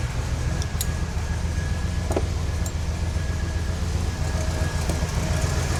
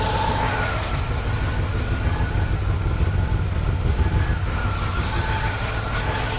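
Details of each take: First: 1969 GMC truck, small-block V8, restarted after loosening the alternator: low, steady idle rumble with no belt squeal or chirp, idling smoothly with less noise. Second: 1969 GMC truck, small-block V8 with a used alternator charging near 13 V, idling with a faint whine over the rumble; the alternator belt is overtightened and is loosened to cut the noise.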